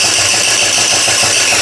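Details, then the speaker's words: Rebuilt GY6 49cc 139QMB scooter engine after blown bottom end, timing just redone; quick thin starter whirr with light compression pulses for two seconds, never catches; later runs oddly, owner suspects a leak. "It's trying, but it doesn't want to turn on. Which I don't know why."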